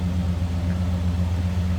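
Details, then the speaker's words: 1970 Chevrolet Chevelle Malibu 2-door hardtop, numbers-matching 350 L48 V8, idling in neutral, heard from behind the car; deep, steady burble with even low pulse, no knocks or ticks; normal healthy idle. "Nothing crazy over the top. It's a very original 70 Chevelle Malibu 2-door hardtop."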